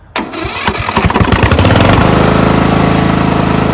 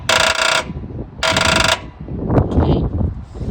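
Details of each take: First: Old Craftsman riding lawnmower found sitting in a pasture, after swapping in a charged battery from another mower: a brisk one-second crank, then it catches and settles into a steady, even idle before shutting off. A healthy start. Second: Old Craftsman riding lawnmower found sitting in a pasture, with jumper cables clamped directly on the battery: two short bursts of starter buzz/clicks, and the flywheel makes no attempt to spin. Engine won't crank; binding or seizure suspected, not confirmed.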